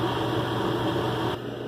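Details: Mr Heater Big Maxx heater after pressure switch fix: thermostat calls for heat, steady even burner and fan rush with no sputter, then quieter hum, and the LED shows a standard fast blink; normal operation.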